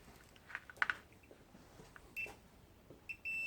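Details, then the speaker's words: Multimeter continuity tester checked by touching leads together before testing a 4-pin car relay: a few brief chirps, then a clean steady high tone; the beeper works properly. "great okay so we've got a little speaker thing working brilliant"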